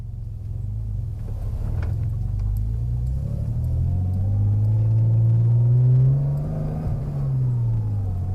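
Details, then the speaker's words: Porsche Boxster 986 flat-six just restarted after yearly DIY service (oil and filter, fuel filter, air filter, new NGK plugs) in cold pouring rain: deep even idle rumble with gentle blips, settles cleanly; sounds healthy, checked underneath for oil leaks. "There we go, running again after the service in the pouring rain. It sounded quite good when it started anyway."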